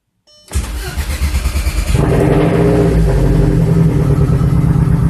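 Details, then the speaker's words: Big-turbo TT project, first start after sitting 2 years, engine primed, on 2-year-old fuel: catches on first crank, then a lumpy idle that stumbles now and then. Engine misfire. "Alright, so it sounds a little rough. I'm going to go ahead and make sure everything looks good. I am also running 2-year-old fuel, so that could be it, but let's go take a look."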